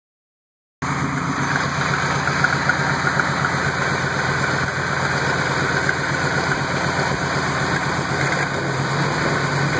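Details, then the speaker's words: 2000 Ford F-150 5.4 V8 idling: quick light chirping tick, about four a second; exhaust leak at exhaust pipe flange. "so this is a 2000 ford f-150 and i'm sure you can hear that chirping noise well i found out what it was"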